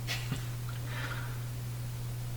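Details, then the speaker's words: Canadian General Electric A55Z radio, out of cabinet, no antenna: constant low hum, strong at switch-on then fading but still present; filter capacitor found smaller than the 0.25 value the schematic specifies. "the hum is still there I is it is it worse it's going away strong at the start but it's kind of gone away but I still hear it"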